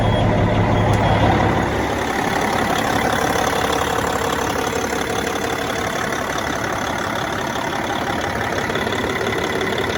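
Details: Cat C15 ACERT twin-turbo diesel after exhaust manifold replacement for a long-running leak: catches and settles into an even, steady idle with no exhaust ticking, warning beeps repeating in background; normal start and idle.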